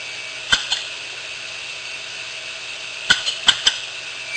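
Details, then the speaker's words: Failed hard drive opened on power-up: quiet steady whir with sharp clicks in clusters, two early then four; head assembly knocking against the spindle, not damaging the heads. "So you can hear that knock. That knock is it's just this part of the drive hitting the spindle. So it's not damaging the heads while it knocks, nothing like that."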